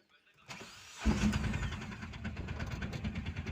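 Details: Mahindra Jeeto diesel after refilling the DEF chemical that had run out (DEF level low no-start problem): short starter crank, then the engine catches and settles into an even, low idle; starts and runs normally.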